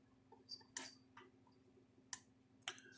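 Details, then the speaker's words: Cyclops Super electric fence charger, repaired after a lightning hit on the AC power cord side, tested across ground and fence at roughly 9.5 kV. Crisp, dry snaps about a second apart show normal pulsing. "so we're gonna put a tester across this thing so it's working across ground and fence"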